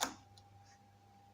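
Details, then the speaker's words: Old floor fan on first speed: switch click then faint steady electrical hum with no blade rotation; voltage reaches the motor but the shaft resists turning by hand, seized in the bushing. "но не крутит если будет это хорошо значит напряжение поступает на двигатель а что не крутит это плохо"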